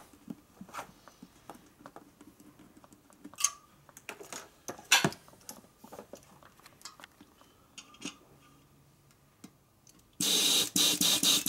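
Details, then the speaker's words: 1942 Harley-Davidson WLA/WLC 45ci wheel rebuild, inflating the tire: faint scattered crackles and ticks as the inner tube unwraps inside the tire, then a burst of air; normal. "You can listen to it as it blows up too. If it's, you can hear the tube unwrapping."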